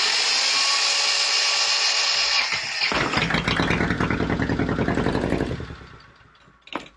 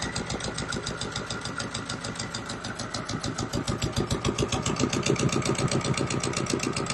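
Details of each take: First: Volvo Penta 2002 diesel from a 1987 Liberty Yachts Pied Piper 28 sailboat during repair, after fuel line bleeding: starter whir, engine catches with uneven chugging then dies; rough running and stalling, owner suspects air still in fuel. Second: Repaired Volvo Penta 2002 fresh-water-cooled marine diesel from a 1987 Pied Piper 28 sailboat, idling at 800 RPM, warm, pumping water, not running hot: even, steady beat about three and a half pulses a second, no misses; healthy.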